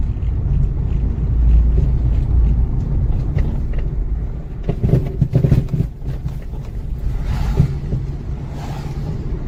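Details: Acura RSX with D2 coilovers about six months old, banging since two months after purchase, driving over bumps and snow: low road rumble broken by loose, hollow clunks; failed coilovers banging.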